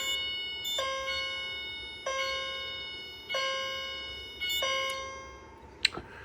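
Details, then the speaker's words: Fire alarm chime heard alone with the door shut after a station is rearmed; clear dings about every 1.3 seconds, then the last ding cuts off abruptly when silenced, unlike the CH70, which finishes its ding; normal behaviour for this chime. "Now, what I would like about the CH70 is that it actually finishes its ding versus this one just cuts off, which is kind of a little bit disappointing, but it's okay."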